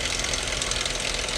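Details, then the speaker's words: Dodge Charger 2.7L V6 at idle, AC off: dense, rapid metallic valve-train clatter on the top end that seems to come from one side. Engine oil sludge starving the valve train is suspected. "Uh-oh. Yeah, that sound like valve train."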